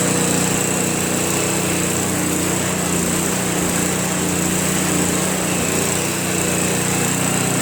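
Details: Craftsman Trac Plus 23-inch dual-stage snowblower, 5 HP Tecumseh single-cylinder, cold start after a year stored without stabilizer, fresh gas, full choke: settles into even steady idle without stumbling or hunting; normal idle.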